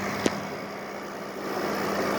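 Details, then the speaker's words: 8000 BTU R-410A window air conditioner after new 45/15 µF capacitor fitted: steady low hum under airy fan rush with the compressor's little repeated tapping, no knocking or rattling; normal compressor running. "It's that little tap, tap, tap, tap, tap, tap. That's the compressor right there, compressing refrigerant. Well, vapor refrigerant, that is."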